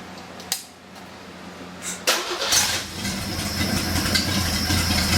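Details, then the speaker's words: Six-cylinder engine on a stand, not yet turbocharged, restarted after running: few clunks, starter catches, steady even idle with no knocks or misses; healthy. "yes it does sound cool will sound even cooler with a turbo on it"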